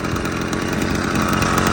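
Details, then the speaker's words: Restored motorized bike/moped two-stroke after clutch repair, about 20 minutes running, clutch still loose: busy, buzzy idle holds steady and even with no misses or surging, idling well without adjustment; normal idle. "it's idling well without any adjustment."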